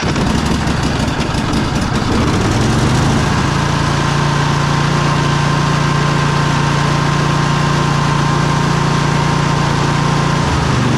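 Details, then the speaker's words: Riding mower run low on oil: low heavy lumpy idle, engine rocking, white smoke; owner suspects burnt rings and blown head gasket, not rod knock. "Engine's rocking back pretty pretty good back and forth. I don't think that's really a rod knock or anything like that, but looks like the rings are pretty well burnt."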